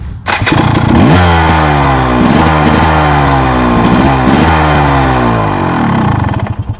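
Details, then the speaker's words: 2014 KTM 300 two-stroke, warm from riding, fitted with a used starter from a KTM 300 XC in place of a weak new Firepower 410W starter. A short whirr, then it fires instantly into a crisp, even idle. The starting system is healthy. "nice and fast so fast that it doesn't even have a chance to hesitate or anything just fires right"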